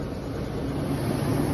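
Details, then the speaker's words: 2001-2006 GM full-size SUV after alternator replacement (old unit had a failed bearing); low, even idle with no squeal or whine from the belt side, charging about 14 volts. Normal idle after repair. "all right now i see much much much much better she was running a lot funkier than this trust me"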